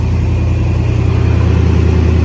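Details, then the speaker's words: Cutlass V8 just put back together. It idles with an uneven, pulsing beat that never settles and still runs a little rough; the cause is not yet found. "still a little bit off still runs a little rough too so that's another issue that we're working on with this car"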